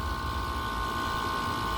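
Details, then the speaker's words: Upstairs outdoor AC condenser, recently not cooling, that clicked on and off four times before engaging: a loud steady drone with a sharp mid-pitched hum over low rumble, louder than the larger unit; owner thinks it is struggling. "here to the side it seems like it finally engaged but it sounds so much louder than than this other larger one even i just don't know if that's normal i get the impression that it's struggling"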